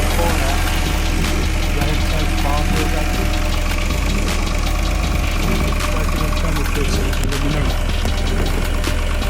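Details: Engine misfire on cylinder 5 at idle: a deep, uneven beat with occasional dropped or stumbling pulses.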